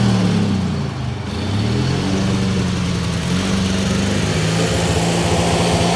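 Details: Ford YT16 lawn tractor under restoration, engine racing fast and unevenly, its pitch wandering instead of settling to a calm idle; revving quite a bit from carburetor issues despite a new carb.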